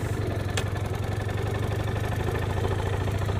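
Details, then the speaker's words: Suzuki Let's two-stroke scooter after the piston and rings were fixed, which starts perfectly only with the lights switched on: a steady, even idle with a low, regular burble and no misses, running healthily. "целом, когда я включаю свет, он заводится идеально. Всё хорошо. Праздный. Просто замечательно."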